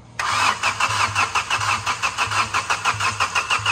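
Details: Diesel engine hydrolocked by flood water, water removed: starter cranks in even pulses about four or five a second to bleed air from the diesel with injector couplers deliberately unplugged, so it does not fire.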